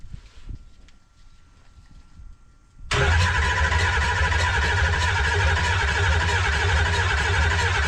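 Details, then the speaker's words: 2005 Ford F250 converted from gas to a 6.0 Powerstroke diesel, first start with only essentials connected: catches at once and settles into a steady, even diesel idle with a deep, solid rumble; normal start and idle. "We got it running, so that's good. We lucked out here. That's pretty good. So now now we know the motor's running, so that's good."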